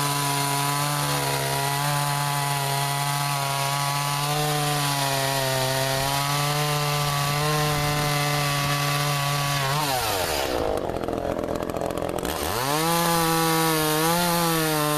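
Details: Echo CS-400 chainsaw cutting ash logs after chain sharpening and tension adjustment, about 40 degrees, started with choke: high, even scream that sags briefly as the bar bites, then climbs back; sharp chain, healthy engine.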